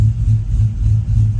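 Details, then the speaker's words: Cammed Chevy Silverado 1500 5.3L with 4L60 in gear (Chopacabra cam, long tubes, 3-inch exhaust): deep lumpy idle chopping about three times a second; converter stall loose enough to keep the lope, as intended; healthy cammed idle in gear. "Seems like it goes into gear. Stall's loose enough that you can still hear it chopping, which is exactly what I wanted."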